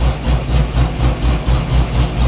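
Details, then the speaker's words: Synergy green Camaro being retuned with HP Tuners for idle and lean spots; heavy low thumping swelling about four times a second just after a cold start, wideband not yet reading air-fuel; rough idle, getting slightly better. "it's not too bad right now it seemed a little bit better yeah it's getting a little bit better"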